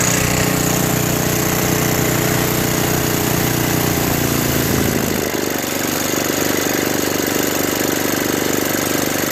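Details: Brute 24-inch snow blower, 5 HP Tecumseh single-cylinder, after carburetor clean, new correct fuel line and fuel filter (was bogging under load, stalling), cold ~18°F: pops along briskly, then steady lower beat when throttled back; normal running.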